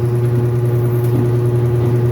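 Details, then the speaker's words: Hanabishi fully automatic washing machine motor, noisy when spinning at high RPM, hums with a rough, gritty metallic edge; worn motor bearing (front or rear), to be replaced. "maingay hindi normal na yung ingay niya dahil pagka mabilis to pag mabilis na yung RPM"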